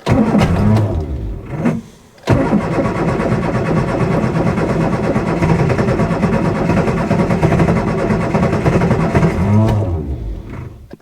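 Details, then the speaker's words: Classic Mini after an electrical fault was fixed (power had been flickering and cutting out): brief cranking, a catch and a dip, then the engine fires and settles into a steady, even idle with no misses or knocks. "There we go. Awesome. How good does that sound?"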